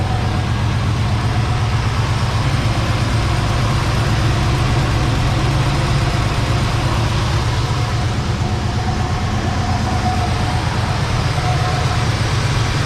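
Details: 1970 Chevy C10 with a 305 small-block V8 idling after bent pushrod replacement and new valve cover gaskets; earlier it had a lifter tap or ticking noise. A deep, even thrum with no ticking or knocking, good oil pressure, and firing on all cylinders; normal idle.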